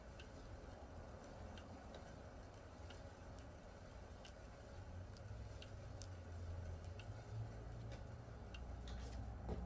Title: Nordictrack S10i Rubbing and Clicking Noises